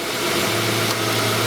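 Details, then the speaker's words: Hyundai Tucson A/C after replacing an $18 part and recharging, wire back-probed at triple pressure switch: engine running, low hum as A/C compressor clutch engages normally, 12 volts sent to compressor. "You hear the compressor kick on. See, it's sending 12 volts."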